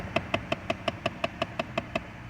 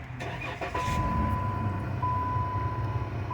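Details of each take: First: Chrysler 200 at startup, from under the dash behind the glove box: sharp, even clicks about five or six a second, also when toggling heat or A/C; failing HVAC heater blend door actuator. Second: 2013 Chrysler 200 after replacing the faulty HVAC heater actuator behind the dash: engine starts and idles smoothly with only a chime, the previous clicking from the dash is gone; normal operation.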